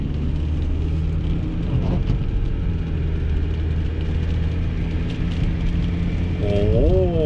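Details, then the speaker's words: Car driven at 20–25 mph, where a rear wheel noise used to start, after rear repair: steady low road rumble with no growl or hum building with speed; rear wheel now quiet and normal. "diferencia ya no se escucha qué caray nada saben qué yo aquí mismo me doy vuelta ya no se escucha amigos decimos buen trabajo ahora si se escucha normal esta tranca"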